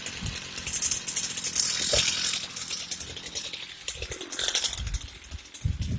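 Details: Heavy-duty Echo two-stroke string trimmer, bought for $5 as a non-starter, running after repair with a loose C-clip-held part refitted: raspy high-pitched buzz rising and falling with throttle blips, firing cleanly and holding speed; trimmer now running properly.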